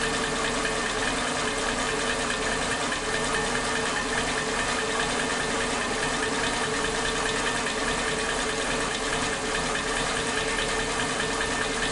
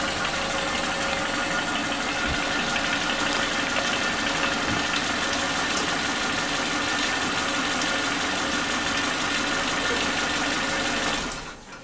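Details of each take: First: Suzuki Katana engine, warm, idling on its old spark plug wires (firing order 1342): RPM unstable with an uneven, stumbling beat and brief pauses as if ignition cuts out; misfire from faulty spark plug wires. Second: Suzuki Katana engine idling with new spark plug wires, exhaust sound heard: even, regular beat with no popping or small explosions as before; normal idle.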